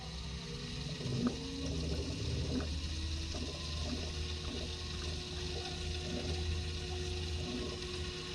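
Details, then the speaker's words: Jacuzzi hot tub that flashed an FL-1 code with no heat, newly replaced circulation pump just powered on: a steady low hum with scattered gurgles and bubbling as air works through the lines; the pump runs normally with a little air still in it. "take a second. Still got a little air in it."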